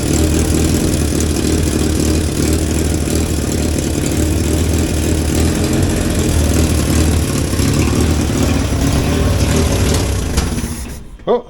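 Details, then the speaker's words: 1963 Hillman Super Minx after fuel pump rebuild and install: steady low idle then abrupt stall, fuel starved because the cap was left tight, creating a vacuum that stopped fuel flow. "there it stopped for no apparent reason right oh because I didn't loosen that again so it doesn't doesn't like that if you don't if you don't loosen that top here then it doesn't uh like it creates a vacuum in here and that won't let the fuel flow in"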